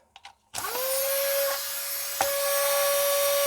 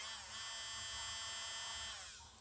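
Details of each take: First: Nail file drill reassembled with its control board: motor jumps straight to a steady high whine at one pitch with no speed control from the dial; fault in the electronics. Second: Nail file drill motor powered directly from bench power supply: high, steady whine at constant speed, no rattle or grinding, spins down cleanly; motor healthy, fault lies elsewhere.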